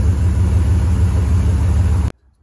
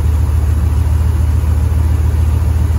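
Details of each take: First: 1973 Ford F-250 4x4 crew cab V8 with a four-barrel carburetor, which had been erratic and loading up, after the carb was removed, cleaned and refitted: a strong, deep, steady roar without stumbling. Smooth running. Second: 1973 Ford F-250 4x4 crew cab at idle: runs low then loads up and stumbles hard; flooding carburetor, rear bowl spewing fuel out of the air horn top, running rich and erratic.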